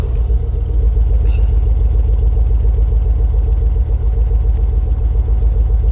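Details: 2006 Ford Focus ST225 first running in over a year: low, lumpy rumble pulsing three to four beats a second, running rough with smoke; owner plans head removal, cause unconfirmed.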